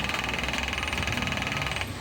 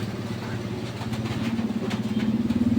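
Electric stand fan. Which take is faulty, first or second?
first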